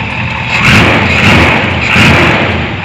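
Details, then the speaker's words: 454 big-block Chevy dually, Edelbrock 1411 750cfm carb with the spacer removed, not yet warmed up: steady, even, deep idle rumble with no vacuum-leak hiss. Owner also hears a possible exhaust leak. "it's idling awesome right now no hissing definitely was a vacuum leak there"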